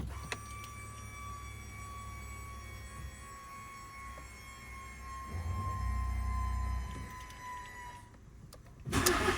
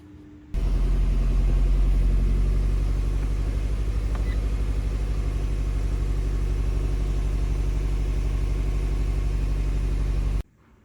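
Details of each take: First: Fiat 500 1.4 16v after replacing coils and spark plugs for cylinder 1–4 misfire codes P0301–P0304, rough running and limp mode: catches cleanly and settles to a smooth, even low idle with no stumble or miss. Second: Fiat 500 1.4 16v petrol idling with a lumpy, uneven rumble and no power, in limp mode. Misfire codes P0301–P0304; coils and spark plugs to be replaced.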